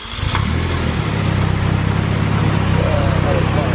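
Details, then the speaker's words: AWD turbo build car idling after reassembly with the exhaust manifold bolts tightened and downpipe refitted: smooth quiet idle, no ticking; the exhaust leak that sounded like an open header is fixed. "all right nice and quiet no more uh exhaust leak when it came here it was super loud like it was uh open header sounds good now"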